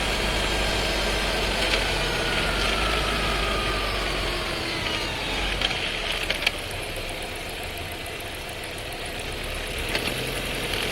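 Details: New Skoda Scala 1.5 TSI, dry-clutch DSG, about 3500 km, pulling away from a stop: busy uneven rattle over the engine and rising whine, vibration felt in cabin; clutch rattle and judder.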